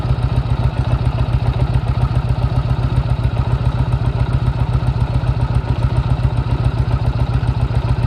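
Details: 1998 Harley-Davidson Road King at a lumpy V-twin idle with a steady knock about twice a second, first suspected as a bad piston rod. The cause was a loose compensator nut in the primary, fixed by cleaning it, adding threadlocker and torquing to 160 ft-lb.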